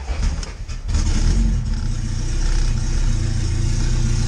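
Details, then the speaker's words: Honda EK hatch with an LS-VTEC swap on an untuned base map, fuel trims untouched: it catches and idles on its own in a lumpy, uneven, shaky way, smoking a bit and vibrating heavily through the mounts. "idles on her own the smokes a bit [Music] everything vibrates so much Steff mounts but she runs and she's getting there"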